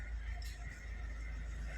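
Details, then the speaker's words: Maruti Suzuki S-Cross 1.6 diesel, 129,300 km, after gearbox removal and repair: low, even diesel idle rumble with no whine or rattle from the gearbox; neutral gear noise gone, clutch and gears healthy. "कोई sound नहीं ए रहा है"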